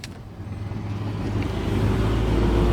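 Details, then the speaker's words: Honda Brio left power window that was stuck, after replacing the faulty power window switch module: steady low motor hum building evenly over three seconds, no grinding or stalling; window now goes up and down normally. "Dengan sakelar baru ini, posisinya bisa naik dan turun, teman-teman ."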